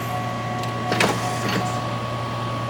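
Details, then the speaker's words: C5 Corvette pop-up headlight motor after replacing a stripped gear with a brass gear: short, smooth electric whir as the lights fold down, with no grinding or clicking. Noise fixed; normal operation. "Alright, we got no noise. Everything looks good. Let's test it out again. Alright, looks like there's no more noise."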